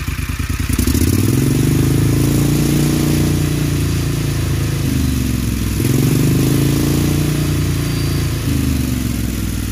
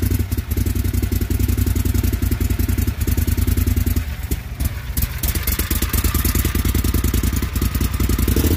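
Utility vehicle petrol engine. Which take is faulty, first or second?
second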